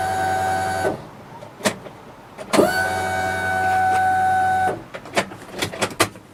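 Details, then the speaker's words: 1994 Acura Integra RS with a newly installed Walbro 255 lph fuel pump priming at key-on: loud steady high whine about two seconds then stops cleanly, much louder than the original pump; normal. "it works much louder than the original original fuel pump"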